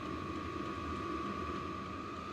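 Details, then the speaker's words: Vevor diesel air heater with a quieter fuel pump, a quieter muffler and new sound-deadening foam inside, running on high with the microphone about 3 ft away. Quiet, steady whir with an even high tone and soft burner rumble; it runs normally. "It helped a little bit. I don't know if it was that substantial of a change, but I guess every little bit counts. That's running on high. And the microphone's about 3 ft away from the machine."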